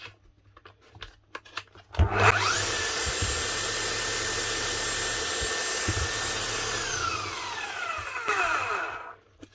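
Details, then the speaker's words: 18-year-old, near-new-old-stock Makita HR5001C hammer, sold as spares or repair, after fitting a new set of brushes: motor spins up fast to a steady, clean whir with no sparking crackle, then coasts down smoothly. Normal motor run. "unbelievable a € 1,000 machine bought for €100 and a 20 set of brushes put on there and she's up and running"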